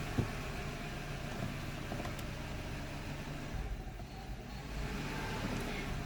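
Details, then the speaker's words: 2008 Subaru Outback, EJ25 non-turbo four-cylinder, 5-speed manual, about 96,000 miles, restarted hot after stalling: runs lumpy and uneven at low revs, wavering and getting worse; failing ignition coil. "uh it'll start back up uh it won't be happy and it'll just kind of get increasingly worse"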